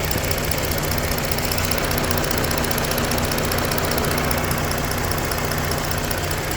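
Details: Engine at idle: steady low rumble with a light, fairly quick tick about two per second riding over it; ticking noise, source not identified.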